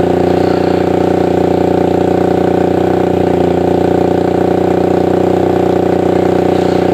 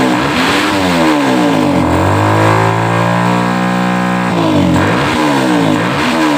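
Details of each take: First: Suzuki Satria FU 150 single-cylinder after porting and replacing valve shims: an even, fast beat of about 200 a minute, steady and clean with no misses or rattles; the engine sounds healthy. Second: Stock Suzuki Satria FU 150 single-cylinder before porting, owner says it is standard: single revs climb and fall back slowly, with no sharp snap at the top; the engine is slow to gain revs and won't scream.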